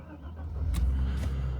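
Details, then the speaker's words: Mercedes SL320 unused for 3 years, after repairs including a bad airflow sensor, cold start. Fires on the first turn into a low, even rumble on all cylinders, idle slightly high while cold, no smoke. Normal start. "starts up on the first turn runs on all cylinders it's cold now that's why we still have a little more RPM that we that we should have once it's warmed up but it's running"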